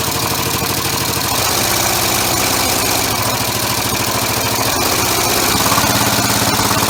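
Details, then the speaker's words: Homemade 3-cylinder orbital compressed-air engine with single-shaft push-pull valve, on a loose wooden mounting: busy, uneven knocking rattle about 3.5 beats a second with air hiss; vibration from unbalanced mounting, expected to ease once bolted to a metal frame. "it won't be quite as vibrating either once I get the yeah aluminum framework and actually bolted to a metal frame of some vehicle"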